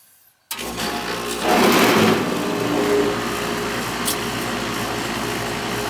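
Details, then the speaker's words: Central AC condenser on R22 that no longer cools as it used to, about 75°F outside: starts with a surge, then a steady buzzing hum with a rough, noisy rattle over the fan. "Well, that's a noisy bugger. It's on R22 there."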